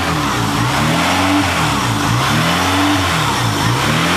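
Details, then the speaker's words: 1998 Honda Accord 3.0L V6 idle surging up and down every second or two, rpm swinging on the dash; check engine light with code P1519 idle air control valve circuit. "as you can hear, the idle is going up and down, and we actually do have a check engine light on. And it's giving us the idle air control valve code."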